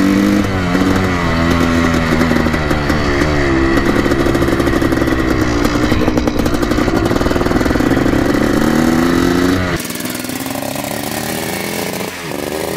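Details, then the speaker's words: 1984 Yamaha YZ490 two-stroke on its first ride around the lawn, warmed up with the choke off: the revs wander and sag under throttle instead of climbing crisply. The engine bogs when opened up; the cause is not confirmed. "choke is off seems like it's running pretty red take her for a test drive around the lawn click here as you can hear a pretty dank boggy"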